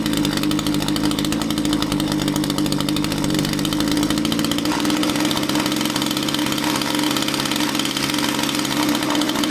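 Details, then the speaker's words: Echo string trimmer two-stroke powerhead on a repeat listen with the fuel cap loosened. A steady high buzz whose pitch sags and wanders as the engine starves for fuel. Tank vent ruled out: the carburetor fuel pump is not working fully. Impulse line or crankcase blockage were possible causes. "Well, it's not a venting problem, it's a fuel pump problem. Fuel pump is not working, or not working completely."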